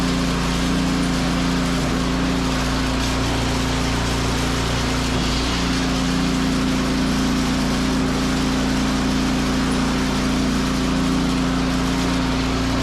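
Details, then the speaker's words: Snowblower small single-cylinder engine after drive belt replacement, running with auger and drive engaged: steady, even buzz with no surging, slipping or squeal; running properly. "Beautiful. Really good. So I think you got that all figured."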